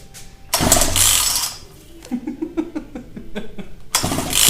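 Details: Partner P340S chainsaw: repeated pulls give scattered, uneven chuffs that never run; wild fuel over-pumping flooded crankcase and muffler with petrol after owners fiddled with the carburettor; fixed by carburettor rebuild.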